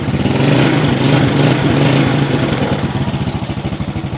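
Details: Yamaha Vega ZR single-cylinder motorcycle after lost-ignition repair, wiring/regulator (kiprok) check and coil refitted: revs then settles into even, steady putter about three beats a second; runs cleanly now.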